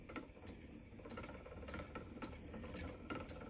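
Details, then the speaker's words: Spinning wheel treadled while spinning angora blend: light, sharp click about every half second, the snapped drive band's melded joint passing over the whirl; drive band also needs tightening, wheel needs maintenance. "i can hear it clicking that's the place where the drive been snapped and i melded it back together so i could hear it clicking and the clicking gets on my nerves"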